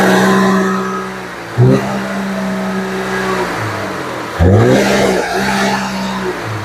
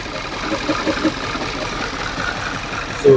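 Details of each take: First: 2011 Audi Q5 (CDNC engine) after replacing spark plugs and two coils for a severe misfire (P0301, P0302) and stalling: idles evenly, revs cleanly twice, sounding much better than before. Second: 2011 Audi Q5, CDNC engine, towed in, stalling and misfiring (P0301, P0302) with broken ignition coil harness connectors; mic close, it idles horribly rough with irregular stumbles and thumps, and misfire counters are rising.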